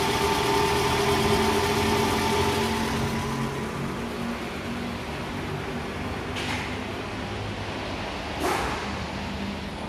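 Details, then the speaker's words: 2JZ engine at 80,099 km, idling: low steady humming drone from damaged balancer shaft, rougher on cold start in the morning, louder in R or D, heard more outside than in cabin. "Ayo kita bisa cek ke unit mesin bunyinya Hai ini terdengar bunyi dengung ya"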